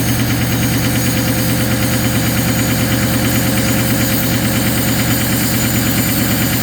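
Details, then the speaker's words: Ford 6.0 Powerstroke diesel at -2°F, raised cold idle: loud uneven stumbling beat about three times a second, missing from partially gelled fuel; anti-gel additive cleared it after a mile. "So I went for a drive after it warmed up, and it had no power, and it sounded really weird, and it was almost sounded like it was missing. Turns out the fuel was gelled."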